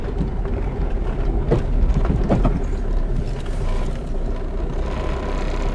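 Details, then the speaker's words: Diesel car that hit something high underneath: idle rumble with dull thumps as engine rocks and gear lever shakes; broken rear engine/gearbox mount. "عننا السياره هذيه فيها صوت تسمعوا فيه وفيها التاس يتحرك كله شفتوا شفتوا فم ضربه والفيتا كله يتحرك"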